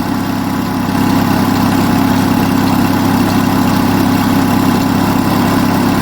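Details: Onan US military generator engine, fully warm with thermosiphon cooling working, runs a smooth even drone at steady speed; no knocks, misses or smoke, mechanically spot on.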